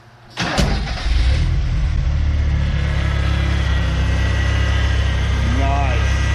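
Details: 1987 Ford Ranger running on old gas, started after reassembly and refilling with water/coolant: it cranks briefly, fires at once and settles into a steady, even low idle with no knocks or misses; normal.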